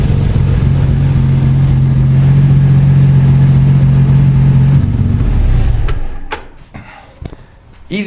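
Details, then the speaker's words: Nissan 300ZX with RB26 six-cylinder swap after installing a new larger intake (Intake 2.0). A strong, even low drone held for several seconds with no knocks or misses, then shut off; it sounds healthy. "Just like that, we are back in business, man. Looks good, sounds good."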